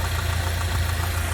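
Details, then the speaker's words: Old Jeep engine at idle, stethoscope probe on the fuel injector: steady drone with soft, even ticking, normal. The injector is not the source of the engine's regular noise; that was traced to a failing tensioner pulley bearing. "那么首先是发动机的喷油嘴，把这个探针顶在这个喷油嘴上，就能够听到喷油嘴的声音了，就是这个声音。"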